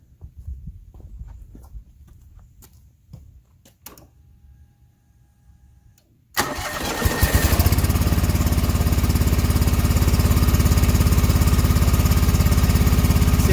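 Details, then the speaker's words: John Deere 445 twin-cylinder engine during coil swap testing. The same problem followed the swapped coil, so the coil is judged bad. It fires into a steady beat but runs rough and uneven. Misfire from a faulty ignition coil. "run fine disconnect the left connect to right same problem so pretty confident this is the bad coil"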